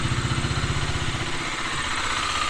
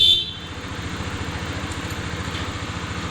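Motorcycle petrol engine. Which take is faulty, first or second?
first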